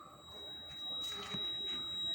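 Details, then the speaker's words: Honda Activa 125 scooter after washing; thin steady high-pitched buzz continuous with key on, even with indicator switch off; caused by water inside the indicator switch or flasher relay. "ഇതിന്റെ ഉള്ളിൽ വെള്ളം കിടന്നിട്ടുള്ളത് കൊണ്ടാണ് ഈ ഒരു sound വരുന്നത്"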